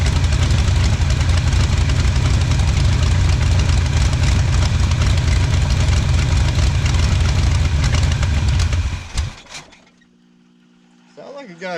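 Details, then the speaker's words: 1977 Pontiac Firebird V8, abandoned about 36 years, first run with fuel pump not yet pumping: deep even loping idle near four pulses a second, no smoke, exhaust blowing dust, then shuts off; healthy with lumpy cam. "thing sounds good no smoke or anything I mean it's just blowing out dust from just being in the the exhaust but shoot that thing sounds really really good"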